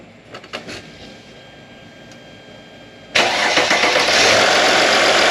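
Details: 2008 Mercedes-Benz GL320 CDI diesel after radiator leak repair and coolant reservoir replacement, not yet at temperature: catches straight away into steady even idle, no misses or knocks; no leaks at idle.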